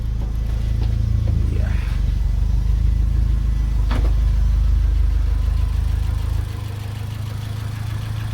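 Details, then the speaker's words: Turbo Fiat Cinquecento project car on a cold day, idling on its own with no throttle before warm-up: steady low idle thrum, even, settling slightly quieter; running slightly rich but clean, with little smoke. "i'm actually pretty good let's go right be honest that's actually running pretty clean it's not smoking too much at all so the fueling can't be that bad off so that's a definite win"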